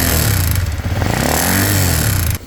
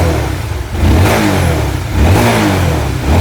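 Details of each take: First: Stock Honda RS150, 21,000 mileage, gently ridden: quiet at start but harsh rough clatter when revved, dropping off on release; tensioner first suspected and replaced without effect, cause found to be broken piston. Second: Honda RS150, 21,000 mileage, after overhaul fixing broken piston: revs rise and fall cleanly about once a second with no knock or rattle underneath; very quiet.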